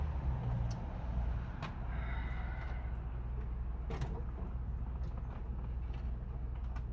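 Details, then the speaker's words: John Deere 16 HP mower (140 psi compression) cranking after the carburetor was refitted, air filter off, and spray used. A low starter drone; it won't catch because the fuel bowl is empty. "Obviously, you're going to have to run a little bit of fuel up into that fuel bowl. Give a little bit more spray. Try again."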